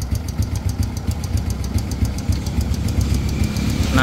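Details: Idling motorcycle engine with a light regular top-end ticking, three to four a second, louder as revs drop; excess valve clearance, fix is adjusting the valves.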